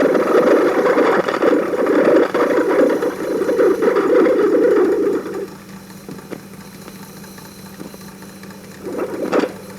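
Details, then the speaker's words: 1940s Peirce Model 55B wire recorder on playback: gritty rasping hiss with fast ticking, dropping to faint hum with occasional clicks; mechanical noise of the stainless wire moving through the head. "it's actually mechanical noise that's this the sound of the stainless wire moving through the head"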